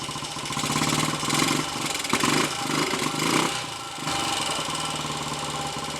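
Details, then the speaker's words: Royal Enfield 250 five-speed motorcycle on a lane test: under the slightest load the engine note surges and sags unevenly, then settles as it won't hold third gear, jumping out down to second or up to fourth; owner suspects a badly worn third gear or gear pair. "It certainly doesn't like third gear and won't take any load at all. And if you put it in third gear, it either jumps out of third downwards towards second, or out of it upwards towards fourth."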